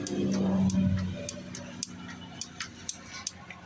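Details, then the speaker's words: Project vehicle with an improvised fuel cell, on a jump pack: sharp single clicks roughly every quarter to half second with no cranking. The engine turns by hand so it isn't seized; owner suspects the starter. "clicking and I can't do it with one hand but I just turned the motor over with my hand so the motor is not seized it's got to be the starter"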